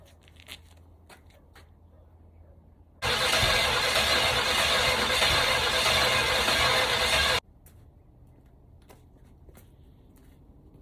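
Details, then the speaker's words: 1965 Cadillac hearse four-wheel drive, engine freed after sitting seized for years, distributor wired straight to battery, starting fluid sprayed; quiet, then about four seconds of loud ragged firing cutting off abruptly; catches on fluid but won't keep running. "she really seems like she wants it i can't say that's the best fire up i've had but it started"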